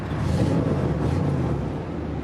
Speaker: she's got 228 000 miles sounds like a beast